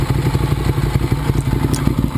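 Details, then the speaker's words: 2009 Ducati 848 after repairing a disconnected fuel pump hose, idling warm at 212°F after about 12 minutes of running. Steady, lumpy V-twin beat with even pulses and no misses or knocks. No leaks; healthy warm idle. "12 minutes we're back 212° fah no signs of leaks at all on that side and I don't see anything here looks good no"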